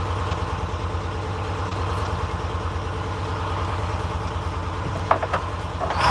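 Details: Freshly in-frame rebuilt Detroit 671 two-stroke diesel in a 1948 GMC Silversides PD3751 Greyhound bus, first start after priming the head with fuel. Steady even idle beat, regular firing, no knocks or misses; normal idle.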